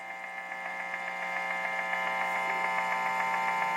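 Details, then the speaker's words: Guitar amp cranked up in a home studio, signal through a wah pedal: steady electrical hum with sharp, evenly spaced clicks about three to four a second. Interference from a nearby Wi-Fi unit, louder and faster as the pedal moves closer. "hear this attack attack attack attack rhythmical clicking sound it goes through the wah pedal now so it's less noticeable in this position but this is how you can hear it so that's the wi-fi unit"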